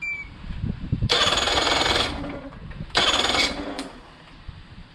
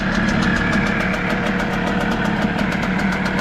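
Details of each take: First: 1999 Nissan/Tohatsu 5 hp single-cylinder four-stroke outboard from a saltwater boat, sat for years and reportedly not pumping water. It roars in rough bursts about every two seconds and stumbles between them; the head gasket is blown and it needs a new head. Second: Hangkai outboard, restarted after painting the lower unit: quick, even ticking beat with smooth steady hum and no misses or stumbles; normal idle.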